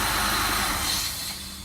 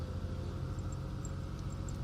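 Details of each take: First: 2003 Ford Taurus 3.0L 24-valve DOHC with code P1506 and high idle, still running with the idle air control disconnected: a strong airy hiss that fades as the engine winds down at shut-off, an intake vacuum leak. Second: 2003 Ford Taurus 3.0L 24-valve DOHC after $6 PCV valve replacement for P1506 high idle; cold start, steady even rumble near 1000 rpm settling toward 600-700 rpm as it warms; normal cold idle.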